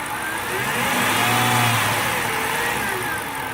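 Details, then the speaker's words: 2006 Dodge Charger RT V8, brand-new engine with 3,500 miles, a bolt found missing: steady hum rising and falling with revs, heard at idle and when accelerating from a stop. Cause unknown. "i woke up this morning and i heard a humming noise and when i drive i hear it as i'm taking off"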